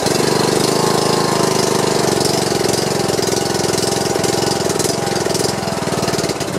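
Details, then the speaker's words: John Deere lawn tractor single-cylinder engine after replacing a broken push rod and adjusting valve clearance: fairly steady fast idle with no valve-gear clatter or tapping; smoke is from oil dripped on the muffler. Running good. "so i guess i could power wash it off or see if i can just run it for a while and just go ahead and burn the rest of that off but the engine sounds like it's running good"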